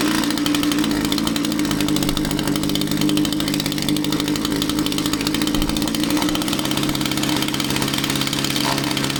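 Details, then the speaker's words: Echo string trimmer powerhead that runs poorly: a high, buzzy two-stroke idle that wavers and stumbles, and it wants to die when the fuel cap is loosened. Tank vent considered but doubted; the cause is not yet found. "So that was kind of crazy, right? You loosen the fuel cap and the machine wanted to die out."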